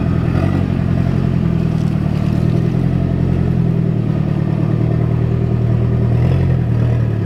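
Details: Turbo car with internal wastegate and screamer pipe, running on a hot day: loud, steady engine note with an even beat and slightly raspy exhaust, no misfire or stumbling. Engine runs fine.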